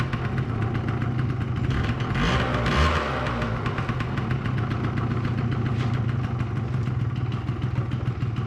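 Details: 2005 Yamaha YW50 Zuma 50cc two-stroke scooter, first run after revival, smoking heavily, battery at 12.8 V charging: fast, uneven popping idle with a brief swell midway; rough idle.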